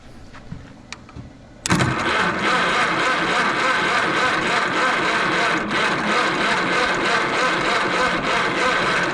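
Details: Antique Minneapolis Moline ZB tractor on a roughly 50-degree spring day, choked, with spark unconfirmed: quiet, then steady fast even starter churning with no pickup into a running idle; cranks but will not start.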